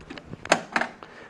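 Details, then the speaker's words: 1981 Bally Mr. & Mrs. Pac-Man pinball (-35 MPU) in solenoid test, drop targets dropping: sharp, separate clicks every half second or so in a quiet room; the solenoid expander relay pulls in normally, with one transistor driving two devices. "there it is again here click relay down there pulling in"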